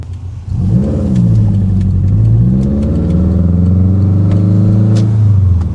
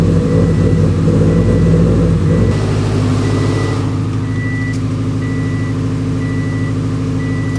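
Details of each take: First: Rebuilt Subaru WRX after exhaust cam timing fix, first-through-fourth gear pull in normal driving staying out of boost; clean, even pull with pitch climbing steadily, blow-off valve audible, no knocks or misses. Normal acceleration. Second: Subaru WRX with fully built engine, just retimed after timing jumped (tensioner suspected to have skipped): catches and runs loud and uneven for a few seconds then settles, steady warning chime; rough running at start though timing marks rechecked as correct.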